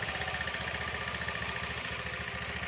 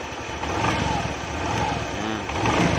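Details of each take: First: Honda Beat scooter, serviced a week earlier (piston, valves): steady idle with light, fast, even tick from the belt drive; cause found as mismatched variator rollers of two different types fitted together. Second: Honda Beat scooter after replacing mismatched CVT variator rollers: engine blips up and falls back in even swells, smooth with no rattle or knock from the drive; normal revving.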